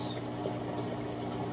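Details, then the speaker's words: Secondhand pump plugged into an Eshopps overflow box setup on a 60-gallon breeder aquarium: constant low mains hum with a buzzy edge under gurgling water; the pump runs very loud, though no specific fault shows. "that sound loud as hell pump sounds so loud"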